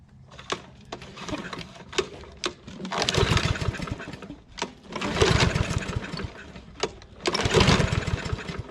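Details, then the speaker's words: Husqvarna AWD mower, Briggs & Stratton 625EX, pulled from landfill, first start on a splash of gas, auto choke, after 5-6 pulls: pull-start snaps then surging bursts about two seconds apart before evening out; rough first start, owner suspects carb issue or bowl filling. "may be dealing with some carb issues. Might have just been taking a minute to fill up the bowl."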